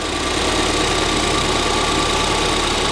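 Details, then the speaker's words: Ford Fiesta ST idling after fitting a replacement cloned ECU that cured a misfire: quick, fairly even ticking about three per second over the engine note, said to come from the fuel rail; no misfire. "it's definitely not misfiring it's a bit that clicking is coming from the fuel rail"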